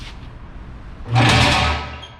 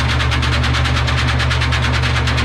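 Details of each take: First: Gilson bulk sieve shaker run briefly with the sieve stack deliberately left unclamped during maintenance training. A short, loud burst of harsh metallic rattling and chatter that dies away; this loudness means something is wrong. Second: Gilson bulk sieve shaker running with aggregate during maintenance check. Steady fast rattling of tumbling aggregate over an even low drone, rhythm constant until it winds down; material moves back and forth, not stuck to one side, so shaking is balanced.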